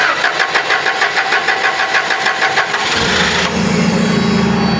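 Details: Toyota LPG forklift that would not start, with the gas solenoid valve fed 12 V directly from a test tool: even cranking for about three seconds, then it catches cleanly into a steady idle; fault traced to a damaged harness wire.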